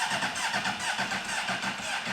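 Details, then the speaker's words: Honda CBR600 storage-unit find with a hole in the engine: starter turns the engine at a steady, laboured pace, about five pulses a second, no firing; slow cranking, battery suspected low. "battery sounds a little dead. Okay, battery sounds a little dead, but this thing cranks."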